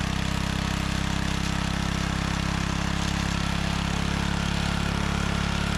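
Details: Restored John Deere 3 hp tiller on test: steady, even low putter with no misses, knocks or grinding; the engine runs smoothly.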